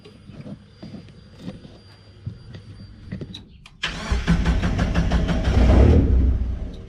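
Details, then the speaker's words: 1999 Miata NB body-swapped, rebuilt boosted engine, after fitting LS1 coil packs driven from Megasquirt: handling noise, brief crank, catches within about a second and runs unevenly; spark confirmed, owner suspects misfire from a dead coil. "it started pretty quick so that means we're getting spark let's see if we can't keep it running"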